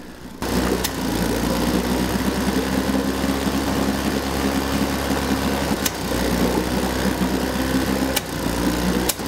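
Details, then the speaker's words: 1952 Johnson Sea Horse 5 hp outboard, model TN-28, revived after 50 years, warming up: rough uneven running with sharp pops; backfiring and sputtering while the primer pump turned hard; coils, condensers and carburetor suspected. "in spite of the pump i did get it running but it was doing a lot of backfiring and sputtering"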